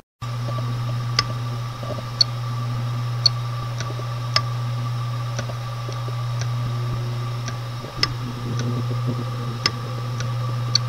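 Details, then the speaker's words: Hard drive from a scrapped PC running: sharp click about once a second over a steady low hum; owner says the drive works after a fashion. "et puis le disque dur il fonctionne tant bien que mal mais là pour moment comme vous entendez si vous entendez des clic clic c'est ça"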